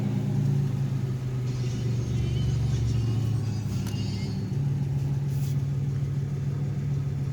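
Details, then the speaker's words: 1987 Chevrolet Celebrity Eurosport 2.8 V6 (owner believes HO), 4-speed automatic: fires and settles into a deep, even, throaty idle around 800–900 rpm; exhaust louder than wanted because the catalytic converter is gutted; runs smooth. "Admit the exhaust is a little loud than what I wanted it to be, mainly because I gutted the cat, and I mean it's fortunate, so it's going to happen."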